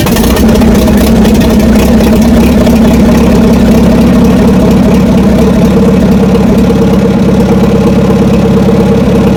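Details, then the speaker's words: Old blue tractor on a drizzly day of about 40°: it finally fires but runs loud, uneven and lumpy as if starving for fuel. The owner suspects carburetor trouble, possibly water in the carb. "well finally fired off I'm not sure what happened to be honest with you just all of a sudden it started to fire off and sounds like going to run out of fuel now though y it's carburetor troubles"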